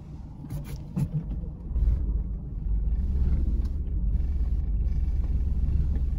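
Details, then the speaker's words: 2005 Subaru Impreza while turning: deep uneven rumble swelling during the turn, quiet going straight with slight wheel vibration; worn front CV axle. "hear that Rumble and feel that Rumble that's the u-joints trying not to break in half so if when you're driving straight ahead it's fairly quiet but well you're in the process of turning you hear that grindage and you most likely need new axles"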